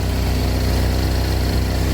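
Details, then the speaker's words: 2012 Chevy Equinox after engine install, airbox temporarily fitted, at idle: deep puffing pulses with hollow, blatty exhaust note; exhaust leak from rusted-through muffler needing replacement. "uh i still hear a fair amount of exhaust noise see if we can pinpoint oh i see it i think the muffler might have a leak i can see air pumping out of it"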